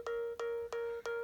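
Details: iPad charging at 82%: a steady mid-pitched alarm-like beep about three times a second that stops when the cable is unplugged and happens repeatedly; the owner suspects a poorly seated charger connection, unconfirmed.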